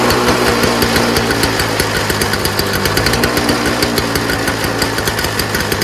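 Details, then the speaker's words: Toro Snow Commander snowblower from the early 2000s, 7 hp R-Tek two-stroke, running busy and uneven with irregular knocking near three beats a second after a fuel flow check. The owner suspects governor spring tension or the throttle, since adding tension stalled it. "I want to feel like it's something to do with the governor spring how maybe the tension may be too high so that it really needs that heavy spark and combustion for it to get started and once it get started uh it's easier to run"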